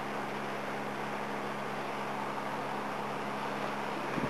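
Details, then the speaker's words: Electric heater, owner thinks about 50 to 60 years old, after cleaning and lubrication, test run on low heat; smooth steady low hum with even airy rush, no rattle, squeal or scraping, fan runs freely and quietly. "that switch is getting a bit old so I just leave it on low Works quite well"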